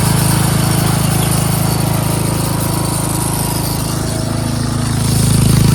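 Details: Craftsman 13.5HP 30-inch rear-engine riding mower after repairs, cutting grass: single-cylinder engine holds a loud, even low drone with no misses or surging. Runs well under mowing load.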